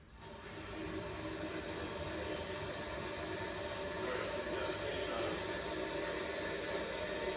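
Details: Toilet tank fed by a straight supply line, replacing a noisy tank: steady soft refill hiss with no whistle, hammering or gurgle; quiet, normal flush and refill.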